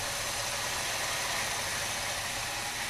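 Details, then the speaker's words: Rebuilt 403 V8 with rebuilt carburetor in a 1979 G-body, first start, engine cold; initial lifter tick has quieted, smooth even idle with steady hiss, may need idle mixture adjustment; normal idle. "wow this thing runs pretty good it sounds like the car I know the motor's cold the car might need a little idle adjustment"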